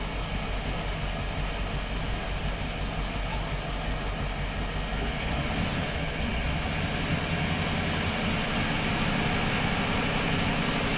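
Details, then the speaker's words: Boat starboard engine after repairs for persistent overheating, tank low on fuel, a little struggle on starting: steady, even rumble at about 1,500 rpm with no misses or stumbles; normal running. "All right, I'm gonna run it a little higher."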